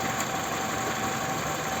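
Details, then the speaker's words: Toyota Camry XV30 2.4 2AZ-FE after new tensioner: steady, even idle in drive with no knocks or rattles over a light hiss; balance-shaft noise gone, though engine mounts are worn. "Как работает двигатель так и работает дальше всё парковка двигатель отлично работает друзья"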